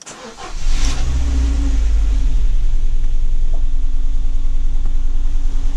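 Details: Ford Focus 1.6 after cylinder head overhaul for a knocking engine, flush oil fitted, first start after repair before coolant added: starts quickly, smooth even idle, low steady hum, no knocks; normal idle.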